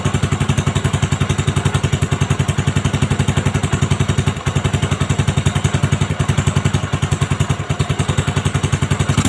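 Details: Honda Supra X 125 after fitting a new cylinder block set, first start after reassembly: an even, steady single-cylinder idle at about three and a half beats per second, with no ticking or knocking.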